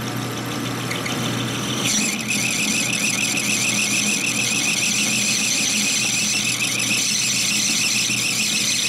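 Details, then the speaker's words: Lathe turning a 1960s Harley XL Ironhead kicker gear ratchet part: a steady, high, piercing squeal holds over the cutting noise. The carbide insert edge is worn off on one side and is rubbing instead of cutting. "About that much. Yeah, just gone. There is no more cutting edge on that one side."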